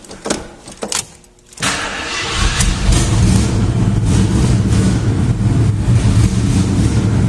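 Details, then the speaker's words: Jeep started briefly before replacing the exhaust manifold donut, also to heat the manifold bolts: engine cranks and fires, then runs with a loud, raspy, puffing low rumble; exhaust leaking at the donut gasket. "I'm going to fire it up so number one you can hear how badly it sounds right at the moment and how good it sounds when we get done with the exhaust on it"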